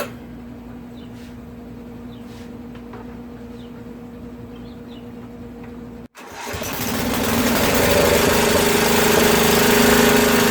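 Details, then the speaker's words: Craftsman rear-engine tractor, 13 hp Tecumseh OHV single-cylinder, after valve work for no compression: catches after a pause and runs unevenly, surging; sounds lean, fuel issue suspected, owner may recheck the float and valves. "now she's cranky might want to check the valves again after it runs a little bit definitely okay so that's a fuel issue right there you know it seems like it has fuel in it it's like it's almost running"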